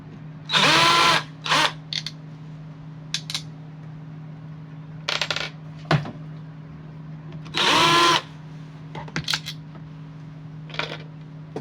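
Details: Angle grinder that makes noise and does not work properly. It revs in short harsh bursts with a rough, uneven whir between them; the armature was found faulty and not worth repairing.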